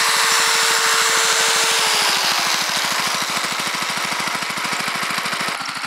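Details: Homemade induction motor generator under load: a steady pulsing run whose hum sags in pitch when about two and a half amps of load is plugged in, and the engine labours to come back up to speed.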